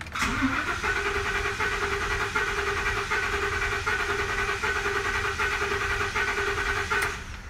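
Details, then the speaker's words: 2014 Ford F-250 Super Duty 6.2 cranked in clear-flood mode, accelerator floored, sound test; cranking whine with uneven beat, one lighter stroke each turn: a cylinder with low compression, later found to be a broken exhaust valve spring. "right so to me it definitely sounds like we have a cylinder with low compression"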